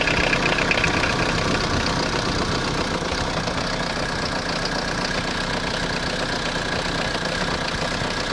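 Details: Citroen Jumpy/Dispatch XUD9TF diesel, fuel filter changed without effect, owner suspects air entering the fuel line: loud, uneven lumpy clatter at idle; rough idle; rougher and louder with timing advance unplugged, hesitation with it plugged in.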